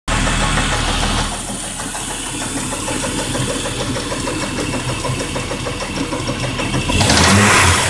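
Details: Jeep Grand Cherokee WJ 4.0: quick, regular clacking from the engine bay after startup, about three per second over the idle and louder on a brief rev; mechanical clatter, cause unknown.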